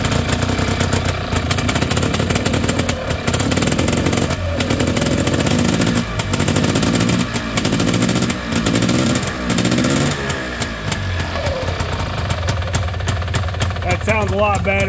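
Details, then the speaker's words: 1989 Honda Pilot FL400R two-stroke after engine rebuild, first start cold; raspy crackle revving unevenly, but the earlier rough bearing-like grinding rumble is gone; engine runs clean. "it just sounded rough rough rough just sounded like bearings just really rough bearings just making a a lot of noise but definitely not doing that now"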